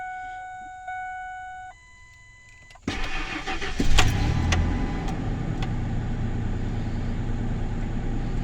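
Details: 1999 Ford F150 start after Blue Devil head gasket sealer for a suspected blown head gasket (coolant on oil cap, earlier misfires): dash chimes, quick crank, smooth even idle without miss; smoke gone and check engine light now off.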